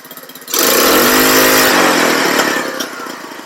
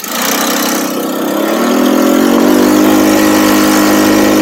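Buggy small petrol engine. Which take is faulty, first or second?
first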